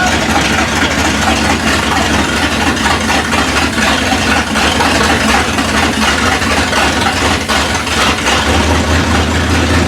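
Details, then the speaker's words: 1971 Ford Ranchero V8, first start with fuel and spark: loud, lumpy but steady idle with a heavy, labouring beat, hitting on all eight; running full rich because the choke is stuck closed and won't open; carburettor likely needs a rebuild. "the problem we're having right now is it's just running full rich because the choke won't open"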